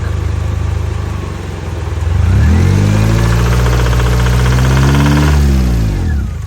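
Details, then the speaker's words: 1994 Honda Accord petrol engine (F22) idling with a steady deep knock about four times a second, then revved up and back down: rod knock in a blown engine, before the oil pan is removed for repair. "This right here is rod knock."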